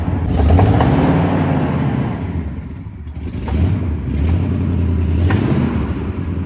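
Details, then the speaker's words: 1979 Jeep J20 V8 with dual exhaust, a year parked, low compression: uneven, chuggy exhaust beat that stumbles as it revs, a V8 missing on weak cylinders. "when you Rev on it I don't know how well the camera picks it up but it's definitely chuggy or I don't know just has a bad Miss"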